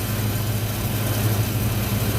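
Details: 1986 Ford Mustang LX Foxbody V8 idling on a cold day after high-torque mini starter install, not run in a while: smooth even low rumble with steady beat, no knocks or misses; healthy normal idle, alternator reading 14 volts.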